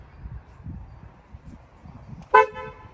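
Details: BMW F80 M3 horn after replacing the failed low-frequency horn that sounded like a clown car: one short, sharp honk with a clear, steady two-note tone, a normal horn.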